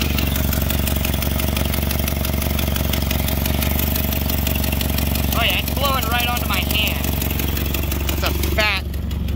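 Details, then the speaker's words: Nissan Silvia FJ20ET turbo four at idle: fast sharp ticking puffs in step with firing from exhaust escaping at the manifold. "beautiful car and i love every minute of owning it i love it a whole lot more when this thing's not sounding like that"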